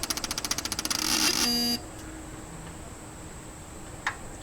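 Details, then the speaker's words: 1989 Chevy K5 Blazer, throttle-body injected, crank-no-start troubleshooting with fuel pump fed through a jumper and oil pressure switch disconnected: at shutdown, rapid electronic chatter about 1.5 seconds ending in a short steady beep; source not identified. "well that was a lot of electronic noise"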